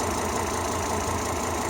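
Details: Volvo XC90 T5 with code P0300 (random cylinder misfire): a steady idle with an uneven, lumpy beat and occasional stumbles.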